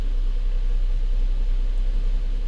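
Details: 2007 Lincoln MKZ 3.5L with a customer misfire complaint, idling during a live-data check with fuel trims under 5% and no check engine light: steady, even low rumble with no stumbles or skipped beats; normal idle on all cylinders.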